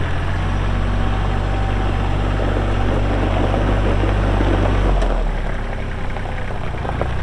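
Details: Kubota L3240 4WD tractor, pre-emissions 32 hp diesel, 94 hours, LA514 loader, gear drive. A steady low diesel rumble with even firing and no knocks eases slightly as load drops; normal running.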